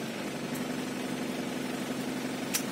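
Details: Isuzu Panther New Royal 2000 diesel, 189,000 km, engine recently rebuilt, idling with air-con on: steady low diesel hum with even, unchanging beat and blower underneath; smooth, healthy idle.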